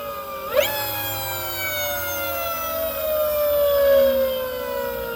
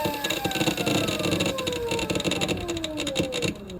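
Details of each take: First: Electric motorcycle (ELX600 build) on old Fardriver controller at Ki 1/1/1 settings after hooking up big 96V battery: clean smooth electric whine sliding steadily lower as motor winds down, no buzz or roughness; healthy motor and controller. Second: Electric motorcycle (ELX600 build, 96V battery) with phase current overflow, old controller at PID settings (Ki 4/8/12, speed Ki 9, KP 10): falling electric whine with rough crackly bursts as motor slows; controller driving motor harshly.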